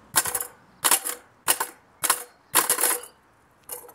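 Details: Kick scooter ridden on landings: sharp metallic clatter bursts about every half second to second on each landing, a noise that should not be there, suggesting something loose: rattle on landing.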